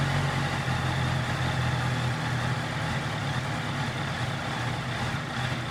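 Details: 2018 Honda CBR650F idling cold with a low, lumpy beat that wavers and never settles into an even rhythm; rough idle on cold start.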